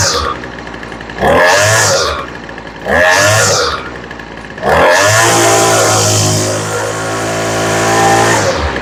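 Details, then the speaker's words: Poulan Pro weed eater that wouldn't start after sitting, idle tuned and off choke: revving to full throttle with a slight ba-ba-ba burble at the top, high-speed mixture a little rich. "Okay, you can hear it's got a little bit of a ba-ba-ba-ba at the top. That means it's a little rich."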